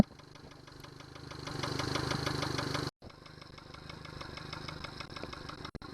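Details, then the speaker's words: Yamaha 70 hp outboard idling with a Honda fuel connector fitted instead of the Yamaha one: an uneven idle with a light knock about three or four times a second. "Well, there's some knocking sound that you can hear. I'm gonna shut it off."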